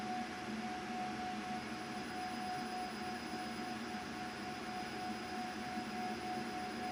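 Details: CO2 galvo laser with EZCAD lens setup during focal distance testing: clear, steady, loud high ringing tone at frequency 5 while marking, indicating normal marking at correct focus.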